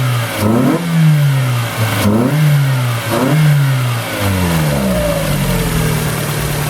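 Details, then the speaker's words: Car #92 after exhaust manifold work, revved to around 4000 rpm before warming up: repeated revs with a raspy blatty edge on each pull; exhaust felt escaping at the side, owner thinks the manifold will leak again. "a little bit of exhaust so I think it's going to leak out again out of the side which sucks"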